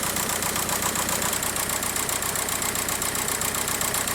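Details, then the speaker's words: VW PD TDI diesel at idle shaking with uneven lumpy beat, one cylinder misfiring; codes P1666 and P0301, ECU shut off the injector, harness checked undamaged, injectors then checked with amp clamp and scope. "anyway it's misfiring pretty good"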